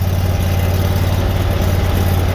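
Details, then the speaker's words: Bolens HT-23 garden tractor engine, primed after sitting and earlier flooding: fires up perfectly into a steady, even, fast idle with no misses or knocks; transmission knocks separately. "let her run with the joke on a few more seconds look at that hey fires up perfectly"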